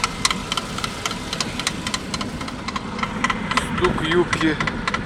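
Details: 2008 Suzuki Grand Vitara J20A 2.0, 87,000 km, cold start: regular metallic tapping at idle lasting 3–5 minutes, absent when warmed by a pre-heater; not thought to be the chain. Suspected spun crank bearings or piston slap, unconfirmed.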